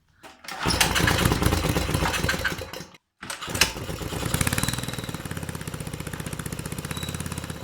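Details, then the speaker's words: 6.5hp generator engine converted for a go-kart with the Honda GX120 carb and exhaust and a clutch fitted: one failed pull, then it fires and settles into a quick, steady single-cylinder putter. Normal start and idle. "so it sounds almost the same as the 120 just with a little bit more a bit"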